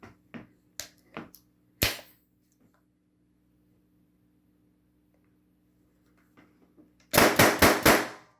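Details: Tippmann TiPX paintball pistol after a cleaning, CO2 cartridge and barrel refitted: a few light clicks, then five sharp pops in quick succession with no hiss. Fires cleanly with no air leak.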